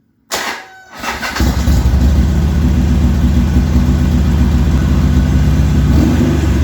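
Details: Harley-Davidson XR1200 V-twin, hot restart after throttle was lubricated for suspected sticking: catches fast and holds a steady beat over 2,000 rpm at 98 idle steps, not dropping until throttle blipped; suspected bad throttle position sensor.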